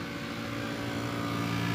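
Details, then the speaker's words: Maruti Suzuki Swift AC blower motor, left side: steady whirring hum starting as soon as the blower runs, with weak airflow; suspected debris caught in the blower motor. "इसकी जो blower motor है वह आवाज कर रही है blower अपन जैसी चालू करते हैं वैसी आवाज आने ग जाति है और हवा भी कम ए रही है"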